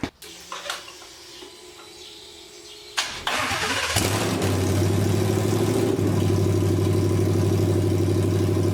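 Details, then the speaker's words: 1979 Ford Bronco with a low-mileage 2020 Gen3 Coyote V8 swap, first firing on temporary bucket fuel with no coolant: a short crank, a quick catch, then a deep, even, healthy V8 idle burble. "but this engine sounds fantastic it's got real low miles"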